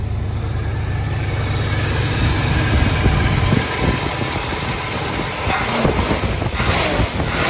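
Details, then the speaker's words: Mopar V8 (1968 Dodge D-100 318 or 1977 Ramcharger 440) on its first start, still cold, decent oil pressure, alternator charging: deep, smooth, even idle 'like a sewing machine', no knocks or misses; normal idle. "listen to that it's like a sewing machine"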